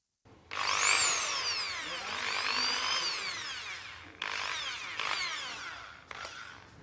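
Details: Electric drill test run after the old grease was cleaned out, the gears and bearings were regreased and the casing was reassembled: a clean whine rises and falls with the trigger, with no grinding or rattle, so the gears run smoothly.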